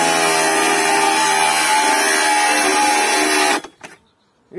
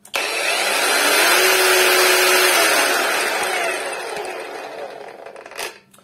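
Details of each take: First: Hengdian cordless angle grinder from AliExpress under load: steady high motor whine for about three seconds, then abrupt cutout when pressed slightly, its overload protection tripping much earlier and more sensitively than the compared Violeworks grinder. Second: Cordless angle grinder (the owner's own, rated 800 W, claimed 11,000 rpm, estimated about 6,500) on a charged battery: smooth, even high whir at speed with characteristic clicks, then clean wind-down; normal running.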